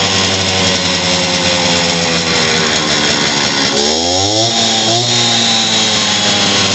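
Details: Stihl TS400 two-stroke concrete saw after carburetor kit replacement and new spark plug, bad old plug having caused it to die: crisp high-rev buzz, brief dip, picks straight back up without stumbling; running cleanly.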